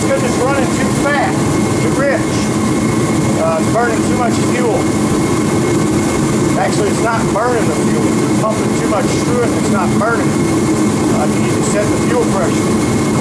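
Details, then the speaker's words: Ready Heater 170T 170,000 BTU torpedo heater, previously cutting off with smoke, after fuel pressure was checked and set, about 3/4 warmed up: steady burner roar and smooth fan hum, no sputter or smell; firing cleanly. "we're about 3/4 of the way warmed up now that's it now we have Heating and it doesn't stink"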